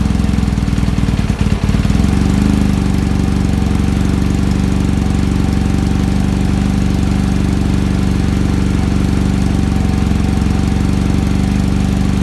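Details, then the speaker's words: Kawasaki ZX-7R with faltering idle circuit, restarted cold after carb work: steady, even low burble holding constant speed with no stumbles or hunting while warming; idle screw now works, debris in idle circuit suspected cleared. "definitely ticking off a lot better than it was uh the last time we started it"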